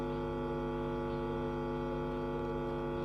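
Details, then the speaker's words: Power amplifier playing on one side only: steady low mains hum with faint buzz, no program signal; signal present at input of coupling capacitor (40 µF 25 V) but absent at output; failed coupling capacitor, one channel dead. "ขาเข้ามีนะครับครับขาออกอ่ะนี่ครับขาวออกไม่มีครับออกไม่มีนะฮะขาเข้ามีนะครับนะฮะอ่ะก็ให้เขาออกไม่มี"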